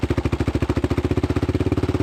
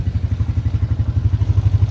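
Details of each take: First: Yamaha Raptor 660 single-cylinder quad, slightly smoky; lumpy uneven thumping at about three and a half pulses a second, owner suspects cam timing has jumped and plans to check and retime. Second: Arctic Cat 300 4x4 single-cylinder after oil refill and fixing a twisted carburetor needle that let fuel through, run for half an hour: even, steady thumping about ten pulses a second, no misses.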